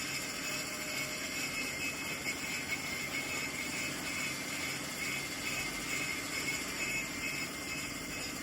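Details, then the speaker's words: Lathe skimming a Mahindra Scorpio N brake disc for brake jerking: steady hissing, scraping cut with faint rhythmic chatter at the thicker outer edge, normal and going silent toward the centre. "देखो किनारी पे आवाज करती क्योंकि किनारी होती है इसकी मोटी। लास्ट में सेंटर में ऊपर तक जाते-जाते इसकी आवाज बिल्कुल नहीं आएगी।"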